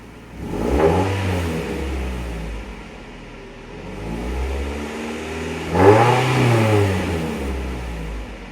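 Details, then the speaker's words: Mazda MX-5 Miata with a newly fitted lighter straight-through aftermarket muffler, heat plate removed: smooth idle rising into two clean revs and falling back, with no exhaust rattle or buzz; sounds decent. "Sounds pretty decent. I'll have to try it out on the street and see how I like it,"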